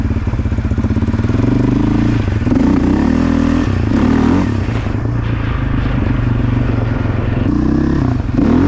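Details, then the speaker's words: 2008 Yamaha Raptor 700 single-cylinder ATV after a blown head gasket replacement that had been blowing the coolant reservoir cap above half throttle: engine pulls steadily under riding load with no knocks or misses, normal running. "all right so i ended up getting the bike back together and it's running good hasn't blown the cap off yet so hopefully we're good on that"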